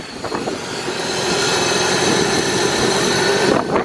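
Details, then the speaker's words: BMW cold start: engine settles into an even, steady idle with no knocks or misses; sounds healthy. "happy sounds healthy"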